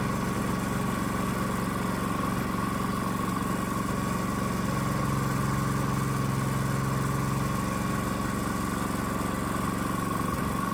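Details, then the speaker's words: Predator-type small single-cylinder engine on custom adjustable electronic ignition (GM LS coil pack, inductive sensor), warm after minutes of running: slightly uneven, strained beat with ignition advanced to 47° BTDC; timing over-advanced. "So, it looks like we can go up to 47° before top dead center, which seems extreme. And you can hear the engine's not 100% happy with that much advance dialed in."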